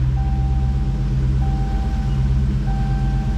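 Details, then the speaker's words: 2015 Dodge Charger SRT Hemi V8 after an FRP MDS delete kit install with OEM lifters, replacing destroyed lifters whose needle bearings were gone; low, even idle with no misses, knocks or lifter tick. Normal idle after the repair. "It's not misfiring at all. It's running very smoothly."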